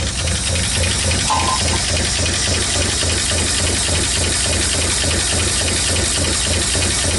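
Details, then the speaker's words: 1959 Ford Fairlane 500 Galaxie V8, first start in over 20 years: rough idle with a light, steady lifter tapping about three to four times a second over a hissy roar; may clear up. "Definitely hear the lifter tapping. But that may clear up."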